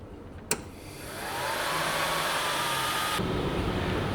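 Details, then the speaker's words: Sovol SV08 Max 3D printer in an enclosure: a click, then the printer's fans spin up with a rising whine into a loud, steady rushing roar like a wind tunnel; excessively noisy cooling fans. "Sounds like a wind tunnel. Can you hear me? Extremely noisy."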